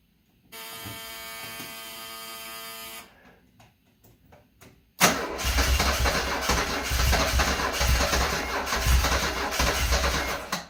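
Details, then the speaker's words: 1974 Alfa Romeo Spider Veloce, 10K original miles, stored 30 years; starting fluid sprayed in intake: starter whirs few seconds, weak pops, catches roughly on fluid only; fuel injection fuse left out, injectors unpowered. "It sounds like it wants to go. Let's give it some more starting fluid."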